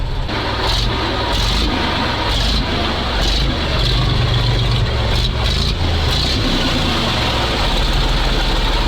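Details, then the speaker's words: MAZ diesel truck after 15 years in storage at a military unit, idling: deep, steady, even rumble with no knocks or misses. The engine is declared working, with charging and tachometer functioning. "Слушайте, ну очень хорошая новость, очень хорошая. Мотор рабочий, это очень важно."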